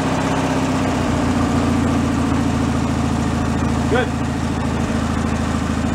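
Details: Free, long-derelict Craftsman riding mower single-cylinder engine after ignition and electrical repairs, fresh fuel and warm-up; even chugging idle, steady firing, no misses or surging; normal idle.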